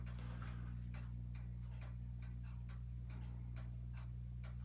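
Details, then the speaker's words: Antique Marelli 360 Italian 220-volt ceiling fan on a KB 220-volt speed controller, running at its slowest speed. A steady low electrical hum with soft even ticks about four per second and no grinding or rattle; runs normally. "And that is like really pretty slow. So that's good. And it doesn't seem to be making any noise or anything."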